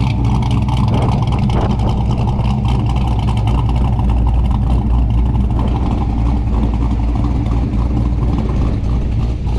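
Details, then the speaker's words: 1994 Mustang Cobra V8 with a Trick Flow cam (pulls to 6000 rpm) back for a World Class T5 transmission install; deep, steady burble with slight lope at idle after the throttle position sensor was reset to 1.1 V, revving cleanly and settling back; runs sweet and even. "so seems like it's doing okay i haven't driven it yet so we'll see what it does here i'll let y'all listen to it it sounds pretty sweet"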